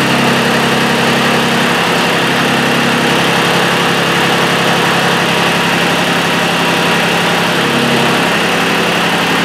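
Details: Mitsubishi Satoh S470D Buck diesel tractor after new transmission/hydraulic screen, oil filter, fuel lines and fuel filter: steady even idle clatter, no misses, knocks or hunting, though owner felt it wasn't running quite right and considered bleeding injector lines.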